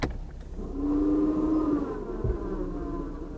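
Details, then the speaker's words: Electric winch on a lifted G35 plow build in snow, battery reported overcharging: strained motor hum climbing and dragging about a second under heavy load; winch motor labouring. "That winch sounds like it's having a hell of a time."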